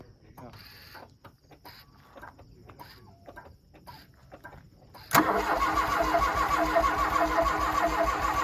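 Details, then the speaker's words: 1984 Dodge Daytona Turbo Z (2.2 turbo) that sat for a long time, cranking after priming: starter spins the engine in an even rhythm but it never catches; no fuel delivery because the fuel rail is unbolted and hanging. "Does it start? No, the fuel rail is unbolted still. All right. Well, yeah, that's the problem. The fuel rail's hanging."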